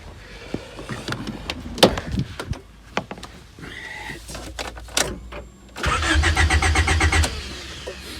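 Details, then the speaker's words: Rover 416 GTi with intermittent cutting out and lack of power; after parts were refitted it now cranks for about 1.5 seconds but won't start at all; owner suspects the distributor. "that's interesting it doesn't even start at all now is that a good thing or a bad thing does that mean whatever it is i've made worse or better"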